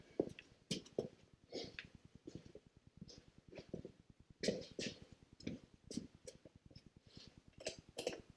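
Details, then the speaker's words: 1974 BMW R90S airhead motorcycle idling after refitting the crankcase breather flapper valve the right way up; it had been installed upside down and caused a 'gobble'. Now a quiet, even idle with steady firing pulses and no lumpy gobble: normal idle. "I don't hear any more problems."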